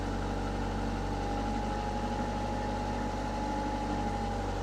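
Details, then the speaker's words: Diesel, unrun for a while, in forward gear, brought up to 1500 rpm: steady, even drone with a faint constant tone and no knocks or misses. Normal running at 1500 rpm. "Okay, I'm at 1500 RPM. Now I'm going to go look for smoke."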